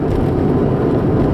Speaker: Anyway, engine's off, right? And you can hear that growling. Now listen, as we make this left curve here, it goes away.